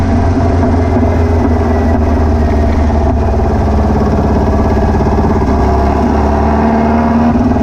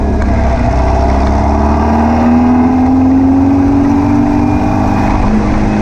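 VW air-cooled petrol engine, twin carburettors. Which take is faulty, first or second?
first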